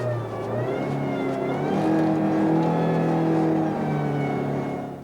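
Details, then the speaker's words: GM Chevrolet hydraulic power steering: a loud steady scream over a revving engine, rising and holding with rpm at high engine speed under high system pressure. It can be caused by internal pump wear. "O grito é um ruído de alta intensidade que ocorre em altas rotações em condição de alta pressão do sistema."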